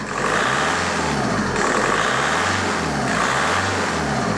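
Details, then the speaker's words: 2002 VW Golf PD 130 diesel after replacing injector electrical loom: even note climbing and falling smoothly through a few revs, no misfire stumble or knock; runs much healthier, no vibration. "all bang on guys we have a cauldron of porcelain this the same look like I'm sat inside the shed and there's there's no vibration it's it's running just like it should run it's a pleasant place to be it"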